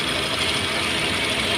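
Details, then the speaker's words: Datsun Redigo at 49,401 km after an engine overhaul for overheating and a failed head gasket, new main bearings, torqued with special tools: steady even hum without knocks or misses; smooth normal idle, no check engine light. "Engine एकदम शांत है भाई, देख रहे हो, एकदम बढ़िया।"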